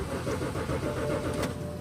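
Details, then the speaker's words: 2007 BMW X5 on a cold morning, about 20°F: starter churns steadily for two seconds but engine never catches; crank no start from failed fuel pump relay in rear passenger-side fuse panel. "uh 2007 BMW X5, not starting on a cold morning. Today is about 20° Fahrenheit."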